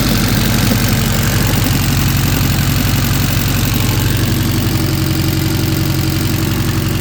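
Steady, even four-cylinder beat with a deep smooth exhaust note and no knocks or ticks; the engine sounds healthy.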